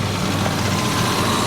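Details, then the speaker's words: Salvage C6 Corvette Z06 with front-end damage: steady, even low rumble at idle with no misses, knocks or ticks; healthy engine, drives forwards and backwards. "she runs she goes forwards and backwards it sounds healthy"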